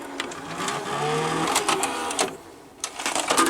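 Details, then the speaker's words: Late-1980s Quasar VH5471-K VCR (rebadged Panasonic mechanism) found in recycling bin, whose capstan motor speed cannot be controlled and stop button doesn't work: irregular whirring and clicking bursts from the tape mechanism; strange motor noise, cause unknown. "the VCR does some strange motor noises"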